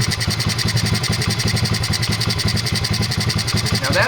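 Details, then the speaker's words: 2003 Honda XR50 modified pit bike, long sat outside, carburetor reassembled with screws at original positions and idle turned up; small single-cylinder idles with uneven, loping pulses, lumpy idle before idle mixture adjustment. "good idle speed but it's still kind of a ly sound when I put the carburetor back together I set both of these screws to the same positions they were in before taking it apart"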